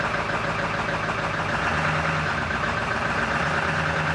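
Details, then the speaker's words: 1999 Ford F-250 7.3 Powerstroke diesel just after a new fuel pump and fuel filter, with an emptied fuel system. Uneven, lumpy idle clatter and shaking while trapped air works out of the lines. "gonna be rough for a while get that air out of the system shaking a bit"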